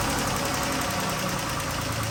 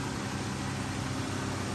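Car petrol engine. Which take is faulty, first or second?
first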